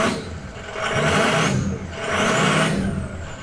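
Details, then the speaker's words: 6.0 Powerstroke diesel before loading the new SCT BX tune (it likely already had a tune): two light throttle blips with clean diesel clatter rising and falling, and no whistle. Normal rev. "Pretty docile. So I did get the tune that's supposed to have the whistle. Let me give it a little gas."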